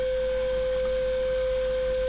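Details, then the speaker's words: Small gear motor driving an N gauge engine shed roller shutter, tested at speed setting 100 while holding the nut: thin steady hum holding one pitch under load; still far too slow to open the door. "this is still too slow. I can't imagine how long this will take to open the door."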